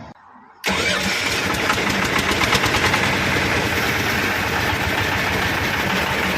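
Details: Newly fitted replacement diesel (Shifeng 'Black King Kong', China IV emissions) after the seized old engine was scrapped; first start catches at once and settles into an even, slightly rattly idle with no irregular knocks: healthy start.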